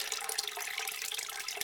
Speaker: pretty rapidly out of the drain pipe here. That's the drain pipe, and here's the sump pit. It's like a sink running at about half speed.